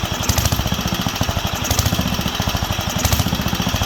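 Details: Wisconsin AENL single-cylinder barn-find engine on its first run in 20+ years, after restoring spark and cleaning the fuel system and carb. Chugging beat swells and sags every second or so. Surging; owner says there is not enough on the high-speed circuit, likely lean.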